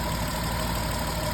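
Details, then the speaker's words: Jeep 3.8 V6 with a newly installed clutch, throwing multiple codes, earlier exhaust leak; light quick tick over the hum and a slightly uneven beat, engine shaking at idle though mounts are fine; cause undetermined. "it still ticks not to mention it's starting to shake it just shakes at idle all my engine mounts are perfectly normal"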